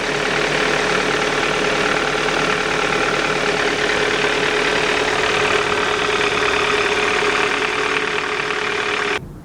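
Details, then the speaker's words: 2014 Kia Sportage LX, new, GDI direct-injected gasoline engine at idle: fast light ticking over steady idle, sounding like valvetrain but actually high-pressure injectors opening and closing; normal, nothing mechanical wrong. "One thing I noticed right away is the direct injected gasoline engine, I think it's called a GDI engine, is extremely noisy."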